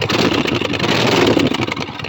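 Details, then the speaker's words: Motorcycle just fitted with a new fuel pump, not worked on for a while: uneven, lumpy firing that sags and stumbles after start-up, shutting off when the choke is taken off; owner suspects idle speed is set too low and needs turning up. "I think I need to adjust my um my idle because taking the choke off should not shut the the bike off."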